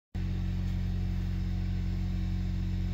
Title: 2016 Ford Focus 2.0l Engine compression testing inspection video showing cylinder 2 no compression